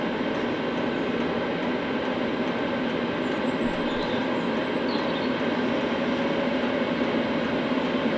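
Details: Cheap Chinese diesel night heater from eBay, running after defective fuel filter replaced, building up to full capacity; steady even burner and fan roar, no stutter, popping or surging: normal running.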